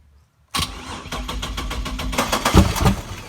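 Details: 1999 Chevrolet Camaro 3800 Series II V6, 5-speed manual, twin-turbo build, first start attempt: starter spins in steady beats, three or four a second, never catches; crank no start, about fourth try, owner doesn't know why.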